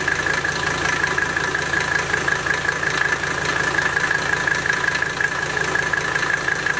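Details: Mercedes W123 turbo diesel after removing original air intake, turbo wheel has no play; even idle clatter with steady clean high turbo whistle, no rubbing or wobble: normal turbo whistle at idle.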